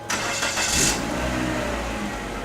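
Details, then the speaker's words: After exhaust repair at a specialist (previously loud exhaust fault), petrol car engine catches and settles into a smooth, quiet idle with no puffing or rasp; much quieter than before, normal quiet exhaust. "that's so much better you can hardly hear things"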